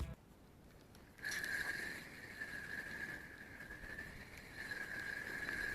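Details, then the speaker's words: Gunki FV 300 spinning fishing reel, four to five years old, before stripping and cleaning: thin steady whine with gritty rasping while the handle turns; rough reel noise. "donc ça c'est un moulinet qui avait encore quatre cinq ans après ses frères john key et il faisait un bruit vraiment à bout de enfin verte ouest menu horrible"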